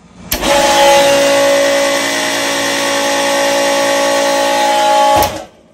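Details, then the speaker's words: Century pool pump motor, likely an HSQ165, in a Sta-Rite Dura-Glas housing, switched on for a demo: a loud, harsh, rough roar with a steady whine until shutdown. The motor is on its last leg. "all right so you can see that I got a problem don't I"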